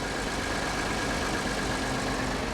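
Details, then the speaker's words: Ford EcoBoost engine at auction, not run for a while, starting with the usual cold-start EcoBoost chatter that quiets down, then a smooth, steady idle with an even drone and no ticking; alternator charging 14.7 V; runs great, normal idle. "they love to chatter when they first started they haven't been run for a while 14.7 alternator seems to be doing its job it actually runs great it runs great"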